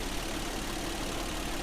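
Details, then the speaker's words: A warm 2008 Toyota Tacoma TRD 4.0 V6 4x4 idles after a P0102 MAF code and cleaning the MAF sensor with CRC electronic cleaner. It gives a steady, even hum with no knocks, misses or ticks, and sounds like a brand-new engine. "the engine sounds good I mean this sounds like a brand new engine let's shut the car off"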